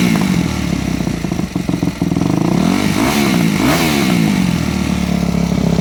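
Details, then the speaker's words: Four-stroke MX bike with Keihin FCR-MX carburetor (YZ250F/YZ450F type): revs rise and fall with ragged crackling exhaust pops between blips, showing the pilot fuel screw is adjusted too lean, starving it of fuel and making starting hard. "um all right did you hear how much popping and carrying on i would call it coming out of the exhaust was occurring that means your fuel screw was adjusted too lean"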